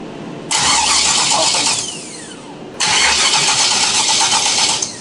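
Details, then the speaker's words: 600+ hp forged-engine 1976 Camaro V8 on Holley Dominator EFI: two bursts of starter cranking, each just over a second, never fires; crank no start, flooded, crankcase filled with fuel twice from reversed MAP sensor wiring. "I put the wires backwards and almost pretty much roached my several thousand dollar filet forged motor by filling the crankcase of fuel twice now"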